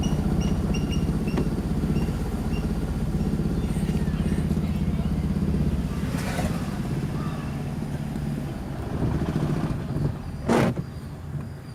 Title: Toyota Prius Hybrid Check Engine Misfire Faults